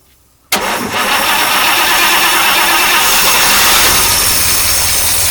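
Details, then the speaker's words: 1953 Oldsmobile Rocket Super 88 barn-find V8 restarted: cranks, catches abruptly, then runs with a ragged, uneven roar and stumbles. Rough running; owner suspects the carburetor, which dislikes rpm increases and randomly stalls, but it is not confirmed. "let's start up one more time I was like damn it doesn't like that at all one more time"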